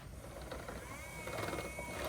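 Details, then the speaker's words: MK Sportscars Sport 200 build, newly installed wiper motor with solid bars between wiper boxes, motor not yet tied down: quiet whirring with a thin wavering squeak as the wipers sweep; linkage not greased. "So that you hear is that it's not greased."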